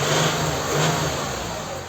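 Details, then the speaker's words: Toyota Highlander U50 with 3.5 2GR-FKS V6, 394 thousand on the odometer per mechanic, knocks even cold: quiet at idle, but a throttle blip brings a dull knock from the sump, a worn connecting rod bearing. "Вот она сейчас не стучит но газу дам слышно стук шатуна вот"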